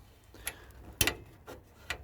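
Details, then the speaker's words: Ford bonnet lock, after lubricating the stiff lock: sharp dry clicks, about four in two seconds, each time the release cable is pulled; owner suspects a missing, disintegrated rubber bush in the linkage. "I'll tell you what the clicking is there was a little rubber Bush there that I think it fell off now I've got a feeling that bush just disintegrated I don't know where it is on"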